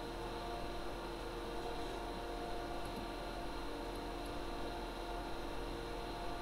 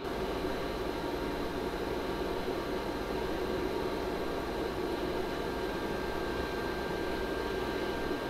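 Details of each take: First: Server room after replacing the ARAID 3500 backup drive's fan, server and backup unit running again: even, steady low whir of fans and drives with no rattle, whine or buzz; ambient noise noticeably reduced, normal fan noise. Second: Server room ambient noise recorded on a Zoom H4n with mic sensitivity 40, server and ARAID 3500 backup drive running: steady loud airy whir with a thin constant whistle; noisy stock fan in the backup drive.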